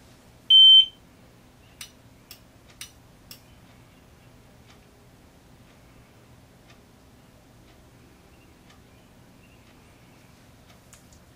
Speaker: you'll also hear the um Alarm Relay click twice and you'll hear the Sounder enunciate as well